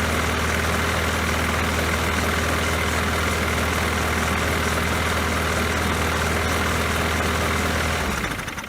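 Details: Poulan Pro mower that had been sitting, after refitting the forgotten throttle spring: even steady drone with low hum, no misses or knocks, then clean shutdown; running normally.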